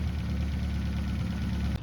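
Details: 1971 Toyota Celica RA20 18RG four-cylinder on twin Weber 40 DCOE carbs, with electronic ignition, new cap, rotor, plugs and wires, a low-pressure electric fuel pump, and Marvel Mystery Oil put down the cylinders against whitish smoke: an even, low burbling idle with no misses or knocks; normal idle.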